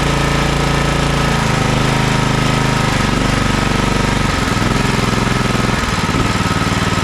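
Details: Toro TimeCutter MX4200 74765 zero-turn, had smoked and died off choke; on fresh ethanol-free fuel with fuel lines refitted: loud steady single-cylinder chatter holding even beat throughout, no stumbling or surging; runs healthy, earlier cause unknown.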